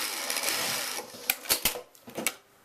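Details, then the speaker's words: Pfaff 561 industrial sewing machine with a quiet 220 V motor and automatic thread cutter, sewing. Even, fast whirring stitch with no knocking or rubbing, then a few sharp clicks as the seam ends and the thread is cut. Runs smoothly. "Of course you will hear it running now, the actual stitching doing."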